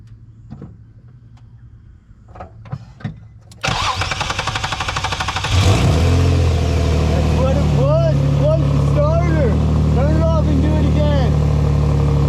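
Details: 2003 Nissan 350Z after new starter install, replacing one that ground on start after an oil change: short crank, catches cleanly, settles to steady idle with no starter grinding; normal start.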